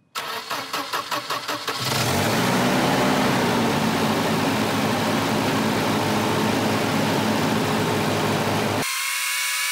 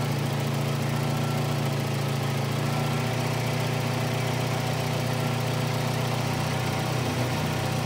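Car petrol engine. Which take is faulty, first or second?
first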